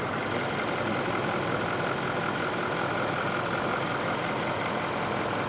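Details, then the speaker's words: Ford F250 6.7L diesel after DEF fluid was accidentally put in the fuel tank and run, after repair, first start with starting fluid: steady even diesel clatter, no knocks or misses; normal healthy idle. "So let it idle. Yep. I mean, it sounds good."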